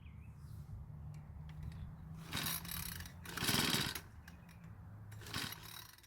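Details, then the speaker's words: Troy-Bilt 4-cycle edger before repair: recoil pulls, then one short rough cough that quits at once; ignition works and some compression present, fuel system problem suspected. "So it did try and start, however, it didn't do that much after that first hiccup. So at least it tried to start, which means the ignition system is working and there's at least some compression from the engine."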